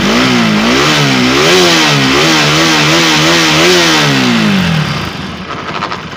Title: BAJAJ RS 200 Bad Engine Noise /TAMIL